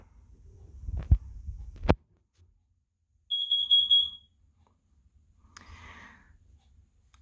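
A couple of thumps, then a loud high-pitched alarm tone for about a second and a fainter answering sound from another unit; normal test.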